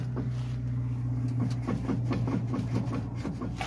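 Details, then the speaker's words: 2001 Chevy Silverado in two-wheel drive, heard from underneath: low steady drivetrain hum with light repeating clunks several times a second at the transfer case; the front drive shaft is still spinning from the transfer case end. "what you're hearing back at the transfer case and I can hear the clunking it's engaged so the drive shaft is actually spinning from the transfer case end"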